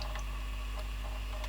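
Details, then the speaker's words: JVC GR-AX200E video camera tape mechanism during playback: irregular light ticks and clicks a few per second over motor hum, picture goes weird, likely why it chews tape; suspected, not confirmed. "you can hear it making weird noises that's probably why it chews and now it's made the picture go weird"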